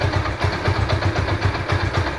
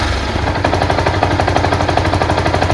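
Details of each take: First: Yamaha SZ-R single after engine sound repair: low, even idle thump with a steady beat and no ticking or rattle; normal idle. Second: Yamaha SZ-R idling with a fast, uneven clatter of about three knocks a second from the clutch/right-hand cover side, after prior engine and clutch work; engine knocking noise, exact cause not pinned down.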